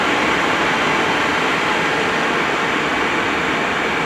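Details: Cheap Chinese diesel night heater from eBay running at full capacity: steady, even roar of fan and burner holding a constant level, with no knocks or surging. Normal running at full output.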